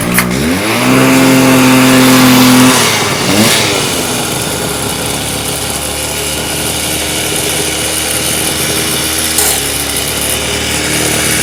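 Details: Stihl TS350 Super cut-off saw, two-stroke, restarted after rebuild with new cylinder, piston, crank bearings and seals: revs climb to a held high pitch, then drop with a stumble to a rough low idle; boggy running, mixture still being tuned, cause suspected.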